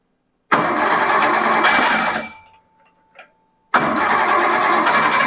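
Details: Engine with freshly rebuilt and Cerakote-coated Zenith 40TIN carburetors, first run test after fueling, accelerator pumps confirmed working. Catches abruptly, runs a steady rumble, dies after two seconds, then fires straight back up cleanly.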